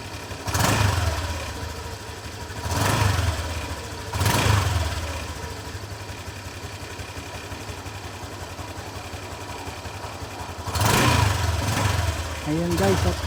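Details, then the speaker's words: Honda Click 125 V3 scooter just after replacing a very dirty fuel filter: idling with a few clean throttle blips, revs rising and falling smoothly without stalling, no leak; runs normally. "Okay, at try natin itong paandarin guys. Paandarin natin ito hindi siya mamamatay."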